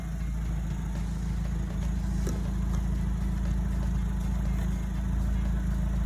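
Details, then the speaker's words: Alfa Romeo 159 after A/C compressor replaced: quiet, smooth low-pitched idle with no whine or grinding, just faint light metallic ticks; normal idle. "Oh pas de bruit étrange Mais je peux entendre des sons métalliques, peut-être parce que je ne m'y suis pas encore habitué"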